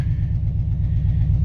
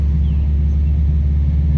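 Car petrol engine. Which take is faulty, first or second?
first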